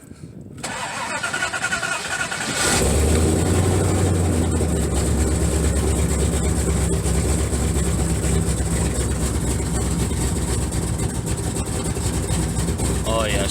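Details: First-gen Dodge Dakota just fitted with a Holley 450LPH 12-321 drop-in fuel pump, old tune still loaded so expected to run rich: starter whirs briefly, catches at once and settles into steady even idle, no misses or knocks.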